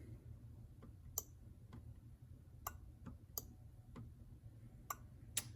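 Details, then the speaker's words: New aftermarket fuel pump relay for a 1979 Porsche 930, powered on the bench with polarity reversed, gives sharp clicks over a low hum and still switches, showing it lacks the original relay's coil diode. "and uh you can hear it clicking now I reverse the sides and it still switches"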